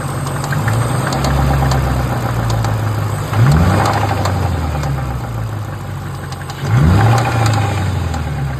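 Idling engine with a light, irregular tick on top that carries through two short blips of the throttle; the cause isn't known.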